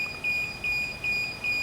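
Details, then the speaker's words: DJI Phantom 4 drone remote controller beeps high and thin about twice a second in short even bursts; the alarm sounds because controller calibration hasn't been done, fixed via DJI GO app remote controller calibration with the aircraft off. "자, 지금 띠 소리가 지금 상당히 거슬리잖아. 그지? 이건 조종기 캘리브레이터를 안 해줘서 그래."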